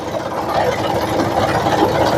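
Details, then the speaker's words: Maruti Suzuki Swift, engine running with AC switched on: fast uneven rattle and buzz from the engine bay as the radiator cooling fan blade shakes loose. "AC on ആയി കഴിഞ്ഞാൽ എൻജിന്റെ ഭാഗത്ത് നിന്ന് ഭയങ്കര sound ആണ് ആ sound ഞാൻ കേൾപ്പിച്ചു തരാം ഇത് കണ്ടോ ഇതാണ് സൗണ്ട് ഭയങ്കര സൗണ്ട് ആ ഫാൻ കിടന്നു വിറക്കുന്നത് കണ്ടോ ഫാൻ കിടന്നു വിറക്കുന്നതാണ്"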